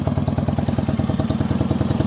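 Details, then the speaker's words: 1965 Honda CB160 161cc air-cooled parallel-twin, cold-blooded, idling after start: sharp, loud, raw exhaust barks from cut, shortened pipes; owner suspects one cylinder dead, stalls on throttle, possibly rich or fuel-starved. "I still think I've got issues with the cylinder being dead, but it's a pretty loud bike. Somebody cut these pipes and uh it sounds good though."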